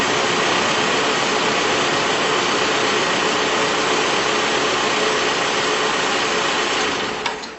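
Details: Cold start after overnight sit, after fitting a new timing chain kit and adjusting the chain guide on an older truck engine that had a startup rattle/growl: steady, even idle with constant hiss, no rattle or growl; timing chain quiet.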